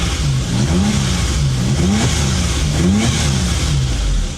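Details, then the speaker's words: 1998 Suzuki Jimny XL Limited with 660cc turbo engine: revs rise and fall smoothly several times with no stumble, so it revs freely. Idle is slightly shaky without misfire; it may need a tune-up. "Now, this one here, the engine seems like it needs to have a little bit of a tuneup or checked out. The engine itself revs fine."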